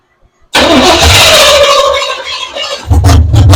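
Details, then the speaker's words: 1982 Chevy pickup with new fuel system, throttle worked by hand: engine spins over on the starter a few seconds with no firing at all; cranks fine but gets no fuel, fuel pump not pumping. "I don't think the fuel pump's pumped enough. Of course, not everything's going to be a winner."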